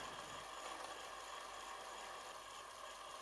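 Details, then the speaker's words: Commodore CBM 4040 dual floppy drive after refurbishing and cleaning, while writing a file: quiet steady hum with faint even whir, no screech; drive motor sounds fine, less screechy than originally. "And the motor still sounds fine. It's not as screechy as the original one."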